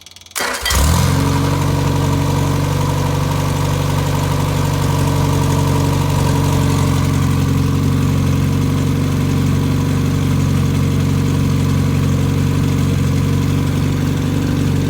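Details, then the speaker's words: Fully rebuilt Triumph Spitfire 1500 engine on run test, warm after about 1.5 hours running, no muffler; starts immediately to a loud, steady, even idle with no knocks, oil pressure 75 psi at idle. Normal idle. "does not have a muffler so it will be a little loud and so we'll we'll listen to your motor run here"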